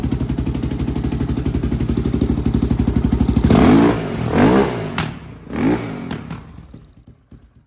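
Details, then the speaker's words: Yamaha Raptor 660R single-cylinder ATV with no air filter, after the parking brake sensor that limited revs was cut off. Even, quick idle, then sharp throttle blips rise and fall cleanly; it revs freely now. "what a beater revs up now"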